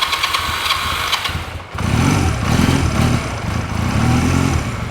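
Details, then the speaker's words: Honda Rebel CMX250 single-cylinder, carburetor rebuilt after sitting 11 years, running after start: unsteady hunting idle with uneven beats; rough idle, cause not yet clear. "you can kind of hear it's a small rough idle let's try to bump that choke up a little bit"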